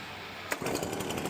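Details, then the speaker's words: Stihl BR430 backpack blower, previously hydrolocked by fuel filling the cylinder, suspected failed carburetor diaphragm, after teardown and repair: sharp catch then steady, even two-stroke buzz; running healthy. "Uh, we already have the air filter, but yeah, she sounds good."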